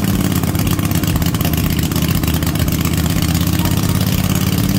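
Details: Cub Cadet RZT-50 zero-turn mower, revived after years unused, crankshaft seal replaced and freeze-damaged carburetor swapped for an aftermarket one: steady, even low drone with no misses, surging or knocks; normal idle.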